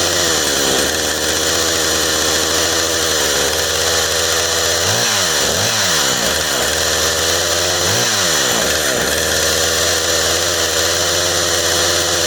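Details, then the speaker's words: Husqvarna 455 Rancher chainsaw, previously run over and rebuilt with new plug, air filter, fuel line, fuel filter and primer bulb; steady high-revving buzz, uneven and burbly, four-stroking through the power band (not taken to full rpm) with heavy smoke; carburetor too rich, needs tuning. "it sounds like she's getting way too much fuel all the way through the power band so which i didn't really uh hit full rpm with it but it sounds like it's four stroking all the way up and she shouldn't be doing that"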